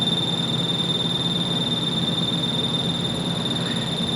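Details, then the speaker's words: Magnetostrictive ultrasonic dental scaler, powered: a thin, steady high whine with a rapid flutter. The supply output reads an unclean 3.5 V DC with an AC component, as the electrolytic filter capacitors are failing to smooth it. The capacitors were then replaced. "And I'm assuming there's an AC component here because this sounds like something turning on and off really quickly because the output is screwed because the capacitors that are supposed to filter the output to a n"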